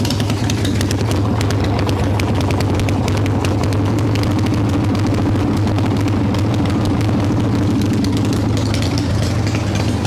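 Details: 1995 Harley Evo Softail V-twin, first start after rebuild: loud lumpy idle that hunts and climbs in speed instead of settling; owner suspects intake air leaks, janky idle screw; rough idle.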